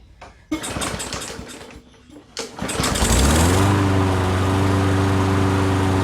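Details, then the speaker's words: Curbside Poulan Pro mower after fixing an unseated carb needle tip that overflowed fuel into the oil, overfilled oil corrected, carb cleaned, air filter off: a few pulls and coughs, then a smooth, steady drone with no misses; normal running. "all right so there you have it now it's running nice and smooth"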